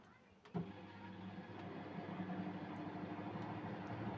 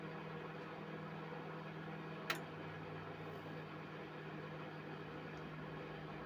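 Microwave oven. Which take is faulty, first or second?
first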